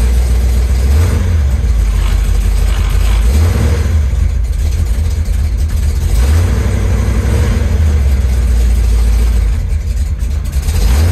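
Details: 1973 Chevy Nova V8 running a Street Demon 750 carburetor (no more EFI), cold after sitting a few days: deep, irregular loping idle with wandering speed, hard to start; owner intends cold-start adjustments.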